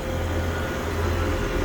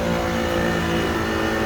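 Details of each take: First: 3-phase HVAC condenser with a newly replaced compressor: after swapping two legs to cure the loud reversed-rotation noise, a steady even low hum with no knock or rattle; normal operation. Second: Newly replaced three-phase HVAC compressor, evacuated to about 500 microns and charged with 7 lb 8 oz of 422B: loud, harsh, steady droning hum from running in reverse rotation; fixed by swapping two supply legs.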